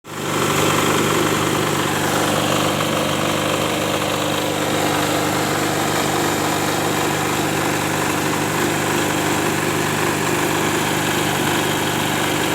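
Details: Maestro diesel generator set running after an engine overhaul: steady, even diesel drone with a consistent low rumble and no knocks or misses; normal running.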